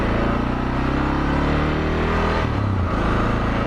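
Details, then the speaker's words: Suzuki DR650 single after 24F0a exhaust, Procycle headpipe, Procycle jet kit (150 main jet, idle mixture screw 1¾ turns out) and airbox mods; deep, even thump pulls cleanly when lugged at low revs without stumble or pinging, no downshift needed. "As one of the things I was hearing people say was like, even going real slow, like, yeah, you're able to power right through. Like, normally you'd be like, oh, I should downshift. No, you don't need to."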